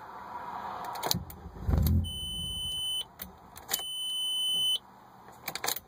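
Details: 1998 Audi A4 that won't start: short crank, engine fires briefly then dies within a second, steady warning beeps afterwards; starts then stalls, cause unknown.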